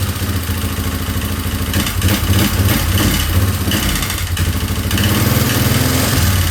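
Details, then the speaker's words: 2003 Yamaha Wolverine ATV single-cylinder, first run after head removal and cam chain work: uneven, stumbling idle of about three pulses a second with irregular surges, running rough; owner suspects the timing is off and rechecks it. "Okay, I think I'm going to check timing again cuz it's running like So, I'm going to try that again."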